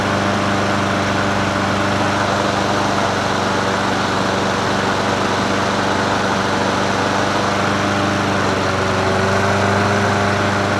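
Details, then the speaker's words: Troy-Bilt self-propelled mower with Honda GCV160 engine, free curbside find, first start after adding gas and opening fuel tap: steady, even single-cylinder drone at constant speed, no knocks or misses; normal running. "well as Derek would say I'll be dipped that son of a gun started up no issues and it sounded good not knocking or anything like that"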